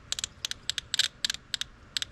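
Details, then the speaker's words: 300ZX injector bench test on 12 V via alligator clips: sharp crisp clicks each time power is applied, so the injector works. The rear two injectors get no voltage, diagnosing a misfire. "okay so it's clicking means it's working at least presumably"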